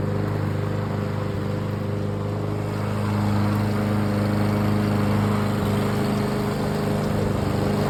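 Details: Briggs & Stratton 675EX small single-cylinder engine after repair of a no-start; buzzing along at a steady pace with an even drone, no misses or surging; normal running.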